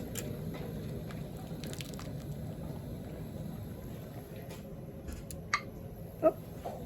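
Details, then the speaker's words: Jars of home-canned chicken broth lifted from the pot after about 20 minutes boiling, quiet hiss then one sharp ringing ping as a lid snaps down while cooling: normal lid seal. "you'll hear them popping as I'm taking them out and what it is is the lids are sealing so that one just sealed"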